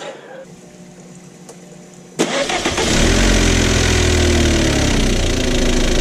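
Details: VW Jetta wagon that broke down within 10 minutes of a test drive: silence, then a rough start with a loud, even top-end clatter near four beats a second and fresh tailpipe smoke. Owner doubts the timing jumped and suspects an oil-passage blockage.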